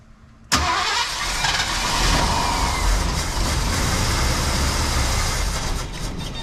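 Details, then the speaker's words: 1974 Ford Bronco, fuel tank out for rust repair and both sending units replaced, lines empty: steady starter whirr, engine turns over evenly but never catches; no fuel reaching the carburetor yet. "Yeah, we got nothing at the carburetor yet. What we're going to do, we're take our distributor wire off and we're just going to crank this some and see if we can pull fuel up to the carb here."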